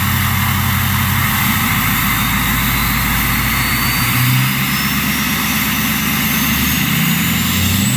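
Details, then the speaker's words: Truck with a 6.0 diesel on its stock turbo, before the swap to a bigger turbo. It settles into a steady, even idle with a smooth turbo hiss, no knocks or surging. A healthy startup and idle. "Alright, so that's what it sounds like with the stock turbo."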